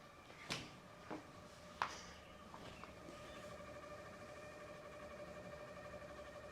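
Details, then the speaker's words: 2014 Ram 1500 EcoDiesel with extended crank, key on: steady high whine from the fuel lift pump, pressure low against a 65 lb spec and bleeding off fast; pump judged failing, trapped air still being ruled out. "all right let's just shut off so yeah not looking good for that pump"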